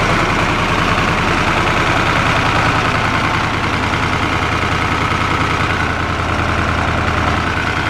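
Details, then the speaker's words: 4-150 tractor engine running after revival work, owner planning arm bushings for a shaking issue and suspecting the aftermarket key switch; even, steady low chugging about two beats a second, no knocks or misses, normal running. "Dang, it sounds good, but them pipes just look so damn stupid."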